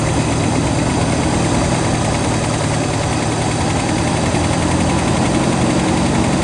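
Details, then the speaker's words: 1967 Lincoln V8 idling cold just after start, exhaust leaks mostly fixed: uneven, lumpy low rumble with a slight stumble; rough idle the owner attributes to the engine being cold. "so anyway at least the uh exhaust leaks are for the most part taken care of she's idling kind of rough still cuz it's"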